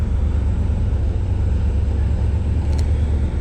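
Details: OBS truck V8 after a top-end rebuild with new valve covers, coolant filled, all gauges working, exhaust not yet fitted: deep, even rumble at a steady idle with no knocks or misses; running smoothly.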